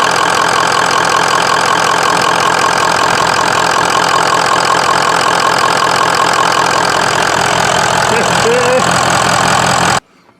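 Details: 2003 Ford F-350 6.0 Power Stroke diesel, about 85,000 miles, damaged by an earlier engine fire, after a no-crank repair: fast idle with an uneven, lumpy clatter, then shuts off; rough running, cause not confirmed.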